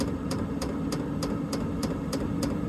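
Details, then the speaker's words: Steady fan roar with a sharp tick about every 0.3 seconds: the dosing pump of a diesel heater in a 2012 Ford E250 van, started on setting 8, warming up and running normally. "but she's kicking in now hear the fuel pump clicking there so she's getting pretty warm"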